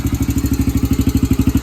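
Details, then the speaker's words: Yamaha TTR125 after cleaning carburetor clogged by old jellied ethanol gas, fuel on reserve, slow to fire: steady, even single-cylinder thump at quick idle, no misses or knocks; normal running. "got it running a little bit longer than I wanted it to to get fired up I guess it's just really dried kinetic get it all that work just right around some seems to be running"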